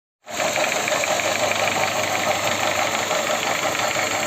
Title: Шумит и стучит мотор L13A Honda fit